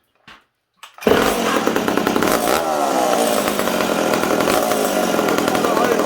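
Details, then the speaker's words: McCulloch Super Pro 70 chainsaw on the bench after decompression valve change: high buzzy two-stroke running steady, revs slightly unsettled and hanging high; small intake air leak, intake glued in cold conditions. "i thought i'd let you guys hear that this thing's got a little bit of an air leak it's not a terrible one"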